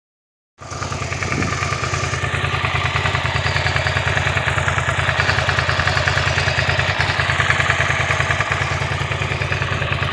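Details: 2002 (K2) Suzuki SV650 V-twin at idle: light, regular ticking/clicking riding over the firing beat, heard best around 13 and 25 seconds; source not identified.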